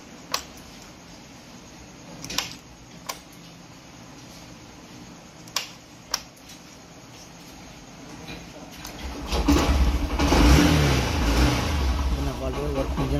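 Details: Honda Shine motorcycle after an ECM fault, with a new ECM fitted: a few handling clicks, then the engine fires, revs up cleanly and holds a steady run. Normal running.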